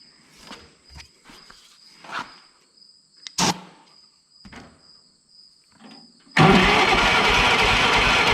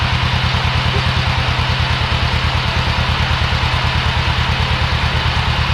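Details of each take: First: Old Yazoo commercial zero-turn mower, 76-inch deck, sat in a barn for years, fuel visible in carb: starter spins engine steadily for two seconds without firing; no spark found at ignition. Cranks but will not start, no spark. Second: Old Yazoo commercial zero-turn mower, just fired after years sitting in a barn: a rapid, even chuff holds steady at idle with no misses or knocks; the engine is running cleanly.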